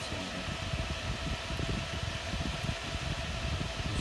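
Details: Gigabyte GTX 1080 G1 Gaming graphics card, coolers set to 100% fan speed: steady airy rush with a faint thin tone on top; fan whine, owner unsure whether from coolers or poor assembly.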